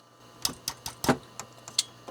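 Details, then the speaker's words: Quantum SCSI hard drive in a Mac IIsi that is not spinning: irregular sharp ticks and clacks about three per second over a faint low hum as it keeps trying but never spins up; the drive is dead. "i hear trying it's trying to spin come on let's hit it making weird noises um that that is a hard drive that no longer works"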